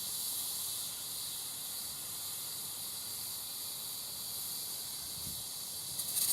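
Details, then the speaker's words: Accucraft Caradoc 0-4-0T live steam garden locomotive, gas tank being filled from canister with valve off: steady even high hiss of gas flowing in, normal filling until it squirts at the valve side when full. "and then basically just press the two together and you should start hearing the tank fill now when it starts squirting at the side of the valve which we'll see in a moment"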